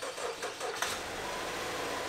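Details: Ram Promaster City after an engine replacement, started with a jumper pack: brief cranking bursts, then it catches and settles into a quiet, steady idle with no knocks or rattles; normal start and idle.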